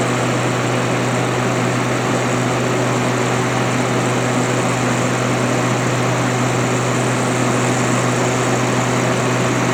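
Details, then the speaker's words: Haier ESA410J-RGB 10,000 BTU window AC, condenser-side airflow test at the back: strong steady rush of air, constant low hum, no ticks or scraping, fan pushing about 1450 RPM; condenser fan runs smooth and healthy. "So yeah, very very powerful. Just pushing 1450 RPM on the back of the unit there. So this thing is very powerful for its size."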